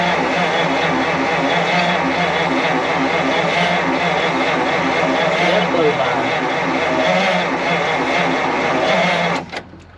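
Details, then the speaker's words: 1953 Pontiac straight-eight, off the road since 1971, first start attempt: slow steady starter grind about three turns a second with no firing; engine nearly frozen, suspected flooded. "Oh geez, it's about frozen. It's sniffling. I think it's flooded out."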